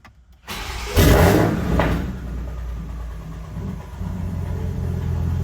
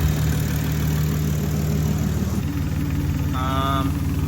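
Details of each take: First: Big-turbo Supra with custom fuel system, first start after revising it for a low aux fuel-pressure code, on a battery tender: short crank, brief uneven stumble, then a firming idle; owner suspects lines still pressurizing. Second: Big-turbo Supra (6466 Precision turbo, custom fuel system) after fuel-system revision: deep, even idle rumble holds steady with only a brief high chirp near the end; normal idle.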